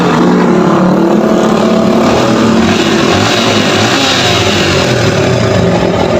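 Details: Yamaha Vixion with a rough-running complaint, after the engine work is completed (block slightly scored), run at a quiet spot away from the workshop: a loud, even engine note holds steady without knocks or rattles, partly masked by passing traffic; running cleanly.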